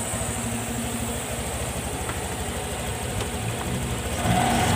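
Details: Honda Vario 150 FI LED scooter after routine service and oil-change indicator reset: steady even idle hum with light rapid pulse, pitch lifting as it's revved; running cleanly, normal idle.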